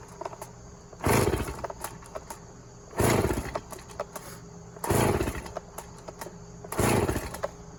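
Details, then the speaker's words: Stihl MS290 chainsaw, customer complaint of clutch-area noise, running with bar and chain fitted: revs with harsh chain rattle; wrong bar and chain fitted, clutch sprocket worn and needs replacing. "Yep, there's a noise there. All right, so we'll let him know that the wrong bar and chain is on this and that the sprocket needs to be bought for it also."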